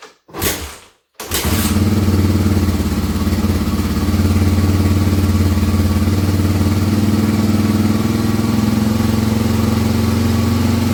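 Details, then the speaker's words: 1986 Honda ATC 350X with restored carburetor, just off choke: single-cylinder thumping at fast idle with slightly uneven beat; rough running, mixture not yet right. "So, all right, so we can hear. I just took that off choke and I didn't quite like it yet."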